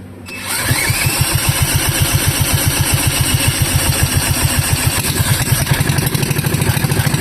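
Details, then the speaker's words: Wisconsin Model AB engine with an open flywheel (damaged shroud removed), fuel shut-off valve closed, run briefly and not allowed to get hot: starts promptly, then a crisp, even chuff about four beats a second with no misses or knocks; a nice, strong running engine. "okay, this seems to be like a nice running engine. Good, strong running engine."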